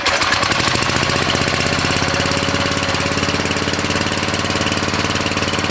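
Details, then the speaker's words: Briggs & Stratton 13.5 cast-iron-sleeve riding mower engine, rerun with air filter back on after suspected oil in cylinder from engine tilted on its side; quick even single-cylinder patter, no misses or knocks, smoke decreasing as it burns off; good running. "Yeah, that's running way better. That's exactly, I think, what it was. I mean, less and less smoke all the time. It's just burning it off. Yeah, that's a good running engine."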